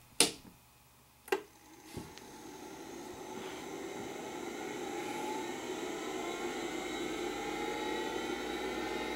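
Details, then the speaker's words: Hard drive in a Macintosh Plus, spun up first at boot, showing no signs of failure: a few sharp clicks, then a smooth whine climbing steadily in pitch to speed; a normal, unusual-sounding spin-up. "also one of the most unique sounding drives I've ever had um it shows no signs of failure it runs perfectly fine but listen to it start up as we boot up the machine"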